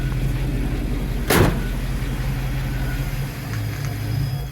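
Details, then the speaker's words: 1987 Chevy K5 Blazer 4x4, 305 V8 with TBI and manual transmission, warm, out of diagnostic mode at in-spec idle: low idle sags when the steering wheel is turned under load, then the engine stalls right out. "There it goes. Stalled right out. I say right about here is where it starts changing the load."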